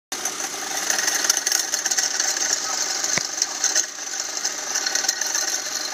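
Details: SRT-6 engine bay, car also leaking lots of coolant: fast busy clicking over thin hissy engine sound from under the hood, cause unknown.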